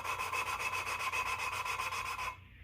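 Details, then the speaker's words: Valve being hand-lapped into its seat with liquid wrench on a 1991 Mopar 360 LA roller-cam small-block head: steady gritty back-and-forth rasping about four strokes a second, tone changing as the rough seat grinds down. "lift it spin it yep and that's the problem with these and if i don't know if you can hear it but you can hear the difference in tone as it's grinding itself down"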